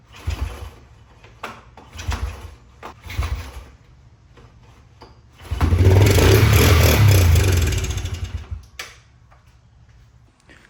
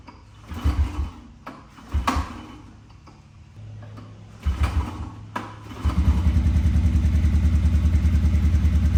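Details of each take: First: 1998 Honda TRX 90 ATV that sat about 3 years, after a no-spark fix, cranked with starter fluid before the carb is cleaned. A few thumps, then it runs roughly about three seconds and dies. It has compression and spark but still needs its carb cleaned and fuel tank refitted. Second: 1998 Honda TRX 90 that sat 3 years, after carb cleaning, an oil change, the spark fix and a freshly oiled air filter. A few pulls, then the single holds an even putter at idle with no misses. It idles well, with a little smoke on revving, likely from oil put down the cylinder.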